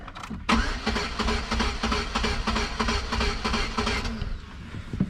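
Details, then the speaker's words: 2.2 non-Ecotec Pontiac Sunfire that had a highway miss with no check engine light, cranked after starting fluid was shot into the throttle body: spins about three turns a second for four seconds without firing; crank no start, owner suspects no spark. "We got nothing. So I'm betting she has no spark."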